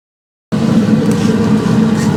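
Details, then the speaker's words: 2017 Central Boiler Classic Edge 550 wood boiler after replacing combustion draft blower: fan spins up to smooth steady hum, no rattle or scraping, far quieter than the old rickety one; normal blower. "So as you can hear, the blower is now very, very quiet compared to the rickety sound it was making before."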